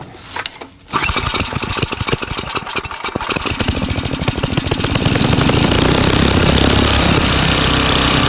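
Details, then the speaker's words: Craftsman 9 hp snowblower with Tecumseh engine after fixing surging by adjusting speed-control spring tension and setting max screw near 3600 rpm, tachometer attached: catches, then even fast steady beat, no rise and fall; normal governed running. "and you can see that this was not doing this motion anymore so now I've gotten rid of the surgeon just by adjusting the tension on the spring here"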